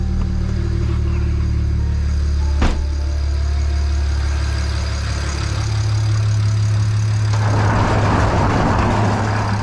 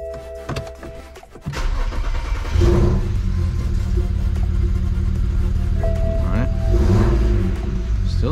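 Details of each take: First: BMW N54 engine after installing injectors and coding, errors cleared (earlier misfire on cylinders six and four, possibly residual fuel): deep, even idle with steady low hum, no stumble or skip; normal idle. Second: BMW N54 just after installing new injectors and coding them: lumpy, uneven idle with a stumbling beat, misfire on cylinders six and four. Possibly residual fuel; it idled fine after the errors were cleared.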